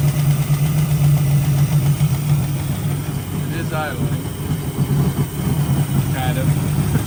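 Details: 1965 Ford Mustang project car, idling just after the carburetor rebuild: loose, uneven light tapping, a few per second, over a lumpy idle; owner hopes it is a fussy lifter, source not confirmed.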